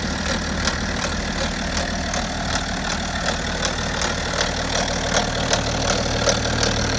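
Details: BMW F10 530d LCI diesel, early-morning cold start at idle: sharp metallic knock repeating about 160 a minute over the normal diesel clatter.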